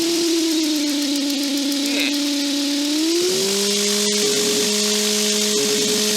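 A steady electronic whine sits over the intercom and rises in pitch with engine speed, a classic ground-loop alternator whine.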